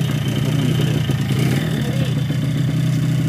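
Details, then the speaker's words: Yamaha RX-King two-stroke motorcycle engine idling with a coarse, rough rumble despite a new connecting rod and a cylinder block honed a week earlier; worn crank/cylinder fit suspected, cause not yet confirmed. "Ya, di sini kita dengar suara masih kasar, padahal stang sudah baru, blok sudah kolter 1 minggu yang lalu, tapi suara masih kasar."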